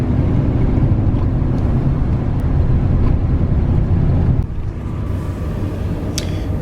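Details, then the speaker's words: 2000 Ford F150 idling rough and missing: uneven, lumpy idle with an irregular stumble in the low exhaust beat; code reader shows a cylinder 4 misfire. "This truck is running. It's running rough. It's missing. Definitely seems to be missing."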